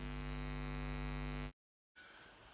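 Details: Pro-Ject Box S2 phono preamp with Debut Carbon EVO turntable: loud, steady, buzzy mains hum that persists even with the turntable disconnected, caused by a missing earth; the fix is connecting preamp and turntable to a proper socket earth.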